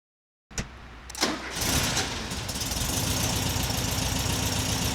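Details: 1979 fuel-injected US Super Beetle convertible, with a new Vintage Speed stainless exhaust replacing the rusted factory system: it cranks briefly, catches cleanly and settles into a steady, even, throaty idle with no misses or ticks. Normal idle.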